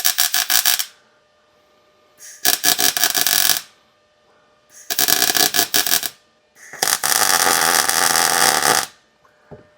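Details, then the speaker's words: 1937 Lincoln Zephyr underside, overhead MIG welding filling a gap: short bursts of crackling arc that stutter and hesitate instead of a smooth sizzle. Wire feed speed is a bit low for the heat, though the weld comes out good. "You'll hear that the wire speed is probably a little low for the amount of heat because we're welding overhead, but the weld is coming out well or good. It's just you'll hear the hesitation because it's filling this gap."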